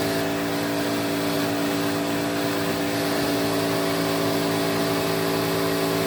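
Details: 1986 Electrolux Twin Turbo Super Z551 vacuum: a steady motor hum with a harsh ringing whine because the cleaned and greased brush roll bearing sits badly on a melted thread in the head; noisy on wind-down.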